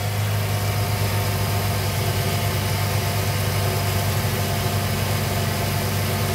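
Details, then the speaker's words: Engine at idle with a loud steady hum and faint whirring; owner unsure whether the AC compressor or the idler pulley is noisy; accessory noise at idle, cause not confirmed. "You hear the shoddy compressor there? Or is that the idler down there?"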